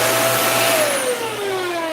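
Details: Dyson UP19 upright vacuum after a part replacement, still faulty: a clear high whistle over the motor hum sinks in pitch as the motor slows; air leaking past a missing filter gasket.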